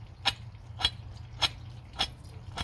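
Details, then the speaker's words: Worn fan clutch bearing, removed from a 2005 VW Passat 2.0 TDI and turned by hand, gives sharp evenly spaced clicks about twice a second; the annoying in-car noise was loudest at idle and highway cruising. "this is a very annoying noise and you hear it more at idle or when you cruise on a highway it just sounds like a bad bearing and we couldn't figure out where"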